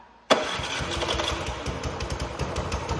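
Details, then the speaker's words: Neighbor's small snowblower, handed over as possibly locked up and described as dead with no start, is primed and started in neutral; it catches first try and settles straight into an even, steady idle. Normal start and idle. "Okay, so it started. I'll give it to Pops over here. He got it first try."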